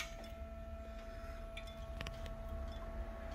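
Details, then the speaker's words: 2013 BMW X5 N63 at operating temperature with the engine cover off, the day after replacing the turbo coolant pump (2EA9 fault): a quiet, steady electric buzz over a low engine rumble, the new pump running normally. "lot of buzz and it should be coming from those two torx bolts down there"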